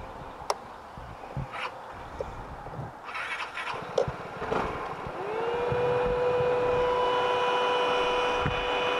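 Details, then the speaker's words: 2019 Vespa GTS 300 Touring Edition, stopped and idling after restart during a ride: quiet idle, then a steady whirring spins up about five seconds in and holds even; cooling fan kicking on at temperature, assumed normal. "I'm gonna assume that noise is supposed to be there it's a fan blowing through the vent so I guess it just finally hit a temperature where it needed to kick on"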